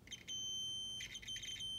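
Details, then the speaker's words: 2003 Mercury Marauder no-crank diagnosis on the bench: multimeter in resistance mode with audible tone, a transmission range sensor harness terminal slid fully onto a pin gives a steady, high, clean beep with brief dropouts; good continuity before the terminal is wiggled. "i've got this in resistance mode with an audible signal so basically it'll tell you if you're getting a good cert a good signal on your circuit or not"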